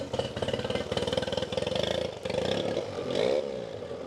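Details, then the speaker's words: Newly bought replacement outboard just installed on a formerly abandoned boat: steady quick firing beat that picks up cleanly when throttled; runs healthy and even. "And just like that, we got a fourperson boat that runs amazing for under $1,500. You really can't beat that. I mean, just look how good it's running."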